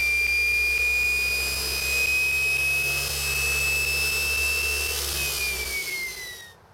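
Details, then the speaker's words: Old Kaylor adaptor/motor for a VW on a modified Kelly SepEx regen controller, refitted after fixing rubbing spots: clean high whine climbs slowly and evenly, jet-like, then eases down as it coasts, no scraping; motor runs smoothly. "nice slow ramp up actually is working pretty [Music] good sounds like a jet engine going to take off"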